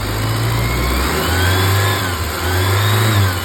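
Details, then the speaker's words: 1987 Dodge Ram 50 after sealing an exhaust leak at the air injection port by flattening the pipe and fitting a quarter: starts and revs up and down smoothly, no ticking or puffing; no leak heard or felt. "If I don't hear an exhaust leak, let me see if I can feel one. Nope, absolutely nothing."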